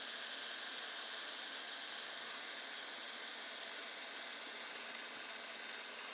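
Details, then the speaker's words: Creality Ender 5 Plus hot end cooling fan on a ring fan duct, not yet fully tightened: a steady, airy, high-pitched whir holds even throughout; spins smoothly with nothing abnormal. "this is the one of the hot end fan for keeping the hot end cool so just power it up and you can listen to this"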